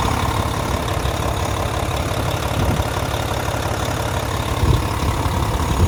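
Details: 2014 Volvo VNL day cab with a D13 diesel and 13-speed manual, 600-something miles, oil filler cap off. Steady, even low idle with no knocks or misses; a normal, healthy engine.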